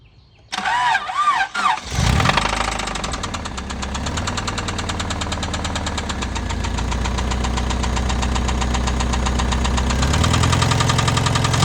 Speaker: all right so i got a rod knocking uh that's not good